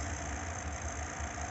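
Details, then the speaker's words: New Grilla Grills grill, also reading wrong probe temperatures: steady low drone with uneven pulsing throb and constant high hiss, a loud odd noise getting worse; source unknown. "I'm just doing another update here because the sound's getting worse."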